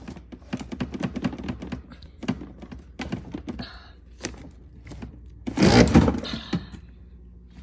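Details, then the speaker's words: Whirlpool WRF757SDHZ02 refrigerator bought July 2021, a few months old: irregular dull thunks and scraping rattle as bottom drawer is pulled; drawer sometimes catches and sticks on its slides. "now the bottom drawer sometimes he gets stuck and he makes this"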